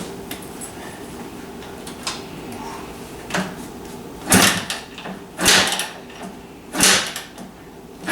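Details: Kawasaki KDX250 two-stroke, uncertain frame ground: four sharp kick strokes about a second apart, each a scrape and thump, no firing; later started with kill switch held in due to different wiring.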